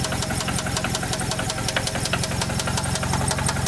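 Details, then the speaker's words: 2nd-gen Mitsubishi Eclipse GSX at cold start, heard low near the engine; loud sharp deep knock about three per second over idle, block to be swapped for a spare: rod knock. "This thing has a really, really loud knock. You guys can hear that down there."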